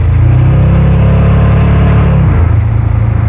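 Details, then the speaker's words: Supercharged (blower) Draguar on a road trip, pulling hard under load with a smooth rising roar and no metallic pinging; the engine is knock-free, and an earlier noise was later traced to a lost blower belt. "that didn't ping I think we're good we're"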